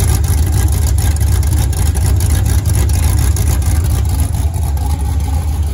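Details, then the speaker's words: Freshly built 5.3 LS V8 on its first start with open headers, an HP Tuning tune and an aftermarket 90 mm throttle body: a deep rumble with sharp pops and a surging idle. At about 70°F it entered closed loop, the short-term fuel trims pulled fuel, and rpm climbed. "the engine hit um like 70 or whatever fahrenheit and it kicked on the uh closed loop so the short-term field trims started pulling out a ton of fuel uh and then like the rpm started going up and it started"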